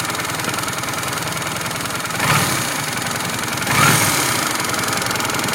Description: Happens after riding for a while. Disappeared after I stopped the engine and switched it on about 5mins later.